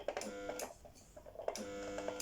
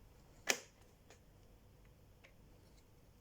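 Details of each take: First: Brother electric sewing machine, needle not moving up and down: motor whirs in short bursts with no rhythmic needle clatter when switched on; mechanism jammed. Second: Brother electric sewing machine after opening and clearing internal blockage that jammed the needle: scattered clicks, then short even bursts of quick mechanical chatter as it stitches freely; runs normally again.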